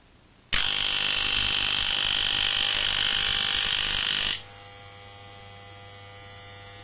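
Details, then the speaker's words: Moser 1400 hair clipper (likely a counterfeit, sold for pet grooming, about 3 years of occasional use on dogs): harsh, high, steady buzz, then a faint low hum. Suspected causes include loose screws on the motor's moving part or loose or shifted springs. "одной из причин шума может быть ослабление винтов крепление подвижной части двигателя"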